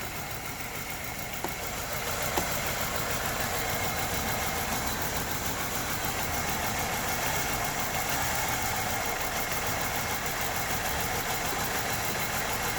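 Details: Structurally modified LPG-converted car idling with an uneven, stumbling beat and heavy shaking; jumping injector wiring removed the shake, and a poor contact or solder fault is suspected in the added gas computer beside the main ECU.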